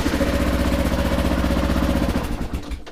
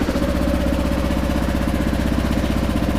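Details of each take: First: 2009 Kawasaki KLR650, 10,443 miles, cold start after fuel turned back on: single cylinder catches and thumps unevenly about two seconds then dies; needs more choke. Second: 2009 Kawasaki KLR650, 10,443 miles, cold single just started on choke: steady low thump, very quiet exhaust with no chirp, which owner says this model year eliminated; healthy even idle.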